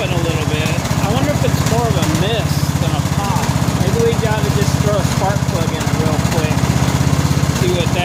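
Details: 2000 Scotts lawn tractor built by John Deere, Briggs & Stratton Intek 17 HP overhead valve engine, after oil change; steady single-cylinder thump with irregular popping.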